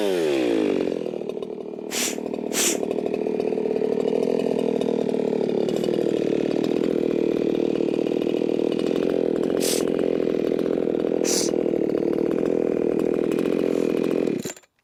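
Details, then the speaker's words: Ported, muffler-modded Echo 4910 chainsaw at about 13,500 rpm no-load on tachometer: steady heavy note with soft burbling, spitting and sputtering edge; owner judges tune too rich, later calls it a little fat. "Sounds like it's spitting and sputtering. It sounds too rich to me. Sounds far too rich to me."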